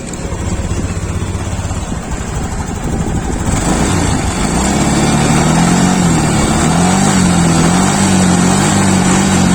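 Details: Honda Beat Sporty Deluxe scooter (year stated 2021), formerly stumbling off idle; now revs up cleanly with a steady pitch and no stumbling. Injector judged still fine, no replacement needed. Normal revving.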